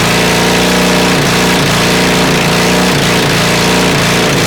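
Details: Honda CB450 twin project, engine never run before, 400 carbs, 400 CDI, 250 wiring loom, auxiliary fuel tank, first start: loud uneven revving with stumbles and pops, flames from exhaust, sounds awfully hot; rough running with backfire, mixture suspected.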